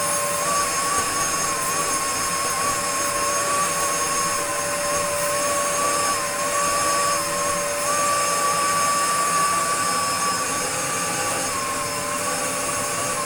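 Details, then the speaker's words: Restored Dyson DC02 DeStijl with suction restored, cleaning a floor: steady high motor whine holding an even pitch with an airy rush behind it. Healthy, smooth, normal running. "But the raw suction, when they're good, is really, really, really, really good. Let's get it dirty and give the floor a quick clean."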